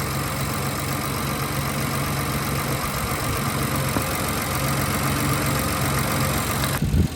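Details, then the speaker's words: 2019+ Infiniti Q50 V6 idling after serpentine belt replacement, battery on charger/jumper after being drained: smooth, even idle hum, no chirp, squeal or ticking from the belt drive; belt running straight, normal. "Coming in here, looking at the belt, it's not making any abnormal noises. It's running straight."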